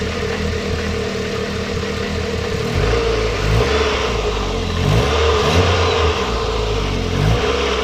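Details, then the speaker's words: MGF 1.8 K-series engine after replacing the leaking exhaust manifold gasket with a multi-layer steel gasket: steady running rising through a few revs, smooth and even, exhaust puffing gone; sounds healthy. "I think now we really need to give the engine just a very quick test run to see if our puffing noise has now gone. Sounds so much better."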